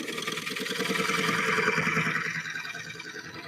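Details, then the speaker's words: Wood lathe turning a bowl from very straight-grained wood with speed turned up: a rapid, even ticking bang about three a second over the lathe hum, the tool tearing the grain instead of cutting smoothly. "And you can hear it's got that bang, bang, bang, bang, bang, bang sound as it's ticking along here. It's not just cutting smoothly. And the reason for that is that this is a very straight grained wood."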